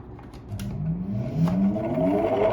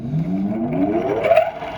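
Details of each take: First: Old Soviet bench grinder electric motor, restored with rewired capacitor, first run after long storage: whir rises as it spins up, then a rough pulsing hum; old Soviet grinding wheel badly out of true, to be replaced. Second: Old Soviet single-phase bench grinder motor with a new 10 µF run capacitor and new grinding wheels: smooth whir climbing steadily in pitch, no wobble or rubbing; runs normally but spins in reverse until the capacitor and mains leads are swapped.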